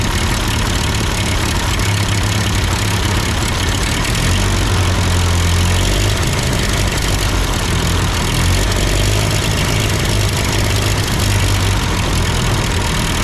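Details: Ford 8N tractor idling after an amateur adjustment of the carburetor: steady, even low chug holding speed with no misses or knocks; sounds good, normal idle.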